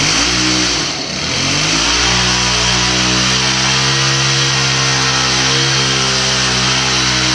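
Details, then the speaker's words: Shindaiwa hedge trimmer (AH254 in lineup), two-stroke, after two years of commercial use, running in garage: high buzzy rev dips briefly then holds strong and even, no stumbling or surging; best it has run in weeks despite field trouble; normal running. "Hedge trimmer, that's probably the best it's worked since I've been using the thing in the last couple weeks on some jobs."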